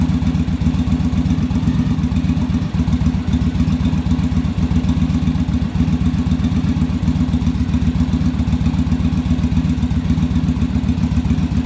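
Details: Yamaha Virago V-twin during on-engine carb sync, after raising idle screw and adjusting rear carb idle stop; even steady potato-potato idle near four beats a second, no hunting; carbs now balanced, normal idle.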